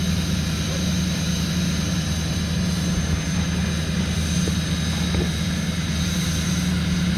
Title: 2005 6.6L LLY Duramax cold start high idle